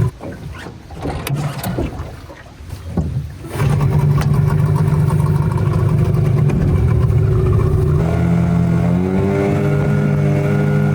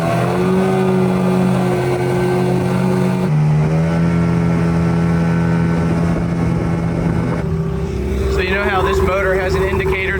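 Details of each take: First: Unbranded Yamaha Enduro-style 20 hp two-stroke outboard, brand new, on a boat after trimming up a peg: quiet start, then revs climb high and flare without pulling harder as the prop cavitates; owner suspects transom height or shaft about an inch too short. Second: Brand-new unbranded Yamaha Enduro-style 20 hp two-stroke outboard under way on a boat after about 10 minutes' running: steady, even drone with a clean buzzing note and no skips, coughs or misfires; running healthy.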